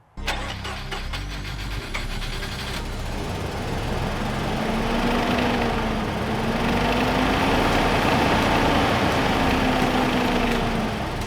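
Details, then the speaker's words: 1988 Mazda RX-7 (FC rotary), long abandoned, just revived after an ignition wire fix: it catches and runs, but the note wavers and surges with uneven chuffing; misfiring suspected, possibly from old gas, and oil was also low. "so hopefully the new gas will help it run better cuz it's kind of running terrible right now and feels like it's misfiri"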